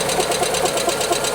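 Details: Chrysler Prowler that sat in a field for months, jump-started on a low battery, check engine light on: busy, hissy note with quick, uneven pulsing and no steady idle, running rough and surging; cause not confirmed.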